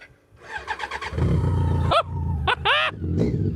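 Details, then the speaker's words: BMW K100 cafe racer stored about three years in a garden and barn, on a jump pack: quick starter cranking for about half a second, then it catches and settles into a steady, even idle despite fuel dripping from the tank. Starts after storage. "Are you actually kidding me? How does that run?"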